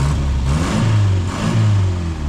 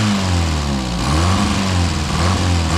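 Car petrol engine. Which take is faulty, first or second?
second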